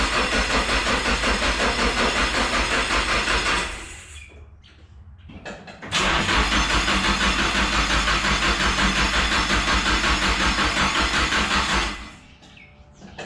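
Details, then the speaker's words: Nissan S13 Silvia with a Trust-turbo SR20: two long cranking runs of several seconds each, a steady rhythmic churn that never catches; it took about an hour to start, flattening the battery, and needed jumper cables. "After literally like an hour, killed the battery, had to wait for my girlfriend to come home with the jumper cables in her car."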